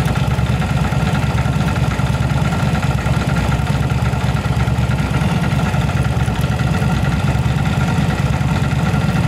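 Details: Yamaha V-Star 1100 Classic carbureted V-twin after repair of backfire and spark plug flooding, cause a rotten pipe; deep even idle lope with no misses or backfires; normal idle.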